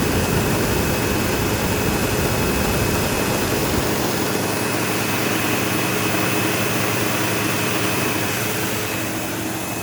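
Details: Sebo Automatic X5 upright vacuum vacuuming a living room: steady loud roar with harsh buzz and thin high whistle, squeal like a slipping belt. Owner suspects worn brush roll end material causing play and vibration; the belt had tension, cause unconfirmed.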